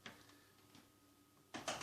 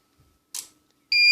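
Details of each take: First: Powercom PCM RPT-600AP UPS after replacing two dried capacitors (10µF 100V, 100µF 35V), resoldering and reconnecting the battery: on 220V mains the relay clicks immediately with no buzz, now charging; repair successful. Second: Powercom PCM RPT-600AP UPS (600VA/360W, 2019) plugged into 220V mains: faint click then steady high-pitched beep, no relay click, it doesn't see mains and won't charge; cause two capacitors lost capacity, 10µF 100V and 100µF 35V.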